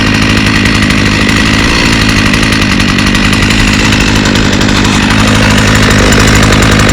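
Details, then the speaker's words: Trimmer started on first pull, running TruFuel: small two-stroke buzzing at steady high speed, even and unbroken, no misses or surging; normal running. "wow one pole that is impressive I did not expect that so as you can hear it runs all right"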